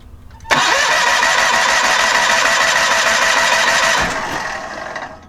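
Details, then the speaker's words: John Deere 318 garden tractor, Onan P218G engine, after carburetor cleaning and freeing a stuck-closed needle valve; hand-choked since the choke isn't connected, it catches abruptly and runs steadily and evenly for a few seconds before winding down. "I hand choked it because I don't have the choke hooked up right yet I hand choked it to get it run"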